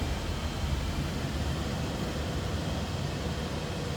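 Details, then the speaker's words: 1981 Ford Econoline van, 4.9 L inline-six, automatic, 108,790 miles, heard at the tailpipe from behind. Low, even idle rumble with no misses, ticks or puffing gaps. Running smooth. "I'd say what you'd expect. Nothing crazy with the exhaust, just a inline 6-cylinder, running smooth."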